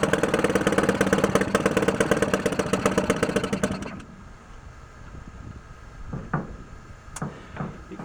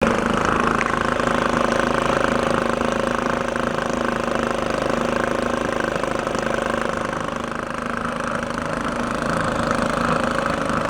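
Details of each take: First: 1949 Atlas Royal 1.5 hp outboard barn find, cold start with choke: pops along unevenly at about three beats a second, then stumbles and dies; rough coughing running, and owner thinks the air-fuel mixture needs adjusting. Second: 1949 Atlas Royal 1.5 hp outboard barn find, after adjusting the air-fuel mixture and warming a couple of minutes: steady buzzy two-stroke beat at about 300 firings a minute, holding even speed; running normally.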